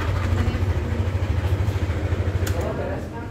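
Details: Yamaha All New NMAX 155 VVA standard, owner's complaint of rough engine noise: rough, gravelly idle with an uneven pulsing beat, noise located in the cylinder head area; traced to a worn camshaft bearing.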